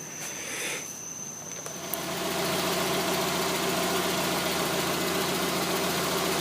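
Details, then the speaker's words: 1992 Mazda Miata 1.6 after replacing the water thermistor (code 9: rough idle, stalling) and correcting a misplaced spark plug wire: steady, even idle with smooth low drone, no hunting or misses. "I fixed it then I turned it on and it's idling really really good right now"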